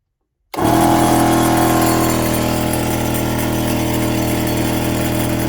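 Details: Portable battery-powered air compressor switched on with the battery connected and the hose chuck attached: clean switch-on, then a steady motor drone with even piston chatter about four per second; pressure rises quickly; running normally.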